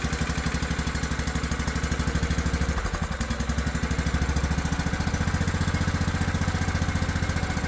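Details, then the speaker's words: Old Craftsman riding mower after carburetor cleaning with carb cleaner and refitting: single-cylinder thump with an irregular beat and a stumble, never running evenly; rough running, valves checked next, oil found runny, possibly fuel-diluted. "Still not liking something. Let's get a look at the valves."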